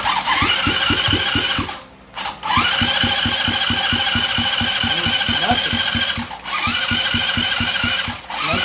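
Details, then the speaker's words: 2007 Dazon Raider 150cc GY6 go-kart cranking with good spark, strong compression and starting fluid sprayed into the intake: steady fast cranking that never fires. Owner suspects an intake boot leak. "it cranks over it's got It's got compression you know it sucks and blows the thumb really really strong and then spray starting fluid right down the throat and it does not sound at all like it wants to do anything"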